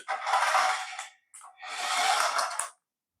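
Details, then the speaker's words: Paladone RC VW Campervan toy, run on the floor: two short bursts of high, clattering buzz from the small geared drive motor, rattling because gear teeth are missing in the gearbox. "Anyway, what I want to demonstrate, you can probably hear it rattling. There's definitely some gears missing."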